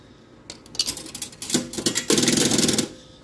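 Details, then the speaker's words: Repaired vintage Coke machine: rattling clicks build into a roughly two-second mechanical chatter as the vend mechanism unlocks a bottle, then relocks. Normal vend. "so once it makes that noise that means it has unlocked a Coke and you can remove one and then it relocks again"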